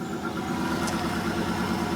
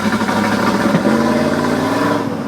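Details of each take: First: 1995 Formula with 1994 LT1 V8, cold morning start, misfire with no codes despite new Opti, ICM, coil, fuel pump, plugs and wires: under light throttle it pulls steady with no stumble; smooth light-throttle running, stumbles beyond quarter pedal. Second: 1995 Pontiac Firebird Formula with 1994 LT1, cold first start of the day, new Opti, ICM, coil, plugs and wires, no codes: idles and drives fine on light throttle, but past a quarter pedal revs stumble and sag, a misfire under load.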